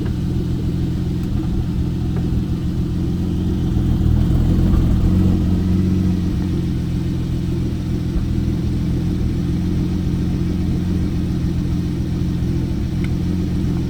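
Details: Porsche 911 991.1 on cold start with check engine light, after filling up with gas from Sam's Club: uneven, lumpy idle with occasional stumbles in the steady rumble; rough idle misfire, cause not confirmed.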